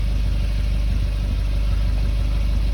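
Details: 2020 Suzuki Jimny JB74 automatic idling with a newly fitted TORQIT performance exhaust: a deep, smooth, even burble that stays steady with no ticks, rattles or misses; normal idle, engine sounds healthy.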